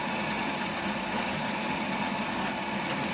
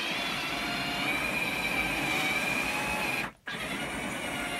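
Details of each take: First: R2D2 droid dome rotating: steady, even whirring from the small drive motor with no scraping or catching; very smooth, though the dome was still catching a few times earlier and the height needs adjusting down. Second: R2D2 droid dome motor turning with the dome fitted: a high, wavering whine over a steady hiss, its pitch sagging as it labours; builder thinks the dome is still slightly catching on the side of the metal.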